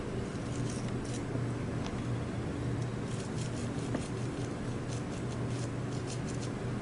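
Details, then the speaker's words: Old wheel bearing from a Mugen MBX6 Eco RC car spun by hand: faint, scratchy crackling rasp because it is packed with dirt; replaced with new bearings. "look at that that's horrible it's packed it's packed with dirt"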